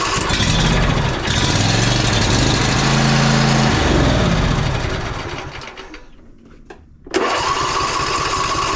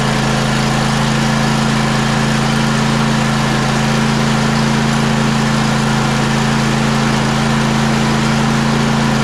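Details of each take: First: John Deere E140 riding mower engine catches and runs unevenly for a few seconds, then dies. The fuel filter shows cloudy water rather than fuel, barely dribbling: water-contaminated fuel. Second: John Deere E140 riding mower running after water-contaminated fuel was treated with Phaser 3000 and the starter replaced. Steady, even small-engine hum with no misses or knocks; healthy.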